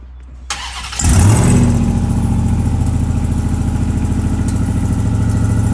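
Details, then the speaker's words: RAM TRX running a junkyard replacement engine with a turbo kit. Rough, chuffing idle with an open, leaky exhaust rasp; wastegate suspected stuck open, visibly breathing, with lots of oil in the exhaust: exhaust leak noise, cause not confirmed. "that's the wastegate's open look at it you can see it breathing through the wastegate underneath"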